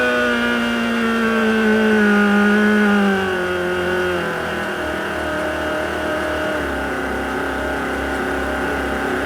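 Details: Very tired Volvo Penta KAD 44 marine diesel with a new starter: loud clear supercharger whine that drops in pitch as revs fall over a steady diesel run; normal supercharger noise.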